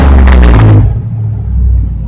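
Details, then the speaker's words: 2006 Chevrolet Trailblazer SS after repair of intermittent no-start (ECU connectors disturbed during electric fan swap): sharp rev dropping back to smooth steady low rumble, no misses or knocks; sounds good, normal running. "it sounds really good too yeah buddy good deal"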